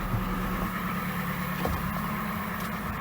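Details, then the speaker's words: Toyota Gaia at 425,000 km, after fuel pump replacement for jerking and stalling while driving: steady idle with a constant high-pitched whine and buzz from underneath. The new fuel pump is clearly audible. "насос слышен. Представляете, как он жужжит, свистит, этот проказник? Оно исходит снизу."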